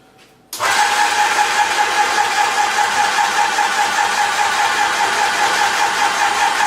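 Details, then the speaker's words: Graco ProStep paint sprayer switched from prime to pump, filling the hose with paint so the hose jumps and the motor note changes: an abrupt start, then a steady buzzing drone with a constant mid tone, a normal priming run. "So when you are priming the hose, you can see the hose jumping, filling with paint, and you can hear the motor change again, and you can grasp an idea of when it's going to stop priming."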